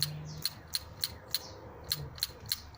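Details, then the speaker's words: Cleaned EGR valve from a 2001 Opel Astra G 1.2 petrol (Z12XE), bench-powered from the battery via pin 5 plus and pin 1 minus: sharp, crisp clicks about three per second, one per energizing; valve mechanically good. "you will hear that clicking. That's how you know that mechanically it's good."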